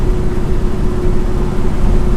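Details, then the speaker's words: 1971 Chevelle SS with fresh Moser 12-bolt rear, 3.91 US Gear ring and pinion, TrueTrac, still in break-in, cruising about 67 km/h off throttle: steady mid-pitched howl over road rumble, fading on throttle; differential gear whine. "don't know if you can hear that howl, but we're doing 67 kilometers an hour."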